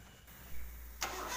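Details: Honda VTEC car with a no-start fault (starter only clicked, then burnt from forcing it), after starter motor repair and reassembly: a brief crank, then the engine catches quickly and settles into a steady idle, a clean first-try start.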